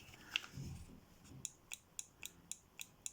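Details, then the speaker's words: Citroen/Peugeot tailgate release microswitch, a working button pressed: crisp sharp clicks about four a second, normal. A defective button gives no click and makes the tailgate pop open on central locking; fix is replacing the button door. "you hear the clicking sound yes this is what you should always hear when you are pressing it"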